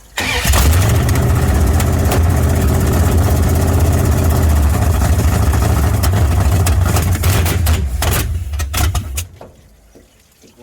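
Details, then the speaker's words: 318 V8 in a 1972 Dodge Charger SE: catches and holds a fast, busy idle of about 2000 rpm at low idle with no drop; idle speed set too high, fixed by adjusting the idle screw. "we tried to idle it down and turns out it doesn't have a low [ __ ] height it is at low idle with 2000 rpms"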